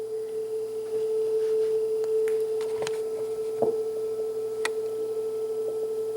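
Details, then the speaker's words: Sanyo dual cassette deck, first deck playing a test tone during tune-up: steady pitch without wavering, faint handling clicks; tape speed judged on frequency. "i would say that that's on frequency"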